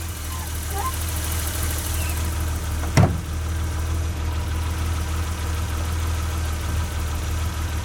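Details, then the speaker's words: 1988 BMW 325i brought back after six years sitting, running on a newly installed fuel pump (the old one had locked up) and a new battery. It warms up at a smooth, even idle with one loud thump partway through. Normal idle. "It amazes me how quiet the thing really is. Alright, well, I'm going to let it run for a little bit and kind of warm up, and I'll get back with you in a little bit."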